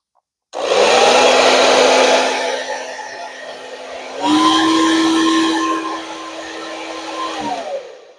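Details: Revlon hair dryer that was cutting out, after repair: steady airy whoosh with even hum stepping up to the higher setting and holding without dropouts; normal running.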